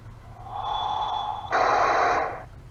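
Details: Cell phone call: instead of the normal ringback tone, a whooshing, hissing tone that jumps louder halfway through, then fades; persisted after hanging up and calling back about three times, cause unknown.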